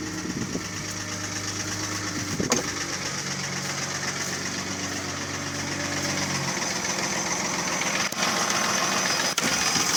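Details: Mercedes ML320 with M112 3.2 V6 catches and settles to idle with a hollow knock under the running noise: piston slap, pistons loose in badly scored cylinders (engine not sleeved from factory).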